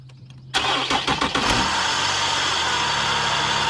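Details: Infiniti engine starting and idling: harsh, gritty grinding roar from the front of the engine, traced to a bad bearing in the A/C compressor clutch.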